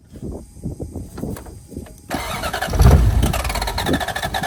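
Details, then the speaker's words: Toyota 1UZ V8 first start after sitting a few years: cranks, fires, settles into uneven loping idle, seemingly on about 5 cylinders; owner suspects injectors blocked by stale fuel, plans trans oil in fuel to flush. "yeah so it runs it's uh I'm guessing it's running on about 5 cylinders I might put some um auto trans oil in the fuel see if that'll help flush anything out I'm pretty sure it's got um you know blocked injectors from stale fuel"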